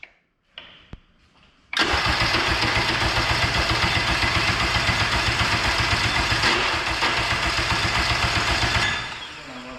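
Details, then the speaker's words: K24 all-wheel-drive Integra on a FuelTech FT600 ECU: several seconds of steady cranking about four turns a second, never catching, then stops; crank no start, owners suspect cam sensors, plan a K20 sensor swap. "it's 2 25 in the morning we're gonna call it a night we cannot get this to start we think it's something to do with the cam sensors so i'm gonna pick up my k20 sensor tomorrow swap it out"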